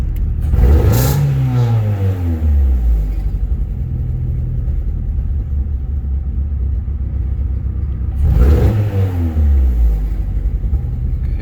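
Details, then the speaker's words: 1997 Eagle Talon 420A non-turbo petrol engine, idling around 1,000 rpm then throttle snapped open twice: stumbles and sputters, misfiring worse on quick throttle than slow; heavy exhaust smell and smoke. "can hear it misfiring. When I do it slow, smell it really bad."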